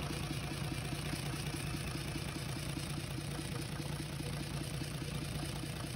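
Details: UD Nissan PKD 411, NE6 six-cylinder diesel, after head repair for intake-side chuffing: steady even idle, low rumble with quick regular firing pulses, no knock or tapping; engine runs normally.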